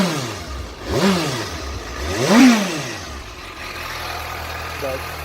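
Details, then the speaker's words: 2015 Suzuki GSX-S 750 inline-four, 14,048 miles, stock exhaust; two quick rev blips falling back to a steady quiet idle with no clatter or misfire; pretty quiet but sounds good, healthy. "Alright, this is the stock exhaust. So pretty quiet."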